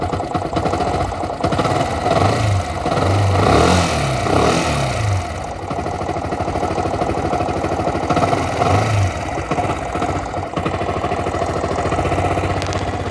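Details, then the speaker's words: Yamaha R15 version 1 (2008–2011) running: loose, irregular metallic chatter over the exhaust; timing chain rattle, timing chain tensioner to be checked first. "So இப்போ நீங்கள் கேட்டிங்க sound, இந்த sound வந்து எதனால் வருதுன்னா, இந்த சவுண்டு வந்து அஃப்கோர்ஸ் டைமிங் செயினால தான் வருது."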